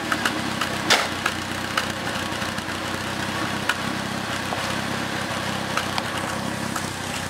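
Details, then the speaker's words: Second-hand Triumph Dolomite 1300 engine just fitted to a Gentry MG TF Replica, first run, warmed up: even, steady idle with a smooth exhaust burble and a few light clicks over it; a healthy, sweet exhaust note. "Sounds really sweet. I'm really pleased with that engine so far. Well, let's see if we can just let you hear this nice exhaust note that she's got."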